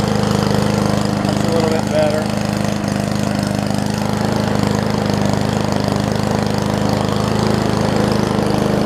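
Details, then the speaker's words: Murray push mower with Briggs Classic engine, running; governor spring appears missing so throttle pulled out by hand for more rpm: steady quick single-cylinder putter at raised speed, even and settled. "the throttle here looks like it's missing the governor's spring so well if i just want to pull this throttle out a little bit more just so that it has a little bit more of an rpm to it"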